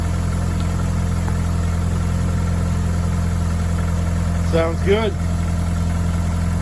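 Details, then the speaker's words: 1996-01 Hyundai 1.8/2.0 first start after throttle-body mod and intake manifold work, car sat for weeks or months: low, steady idle hum with no lifter tick, which may appear until lifters bleed; valvetrain quiet, engine healthy. "yes it does I would just let this uh bleed like I said if yours happens to tick or anything if you took a couple weeks or months like I have they may come down and you'll have that lifter tick but might be a little bit but I don't hear anything in there"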